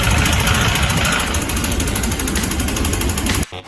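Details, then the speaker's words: Sai 600 motorcycle engine, quiet at idle but getting louder the more throttle is applied, with a hard, hammering clatter on top; pistons strike the valves, leaving clearly visible piston-to-valve contact marks. "反过来，怠速很安静，越加油门它越响，那肯定不行。现在这个就是活生生的例子，它是越加油门越响，这个印子看得很清楚吧？活塞打气门的印记清晰可见。"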